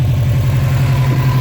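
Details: 2006 Subaru STI with a newer aftermarket STI turbo, idling loud, rough and lumpy, car shaking, compression pushing out and spilling oil, oil looking blue; owner suspects the turbo let go rather than a blown head gasket.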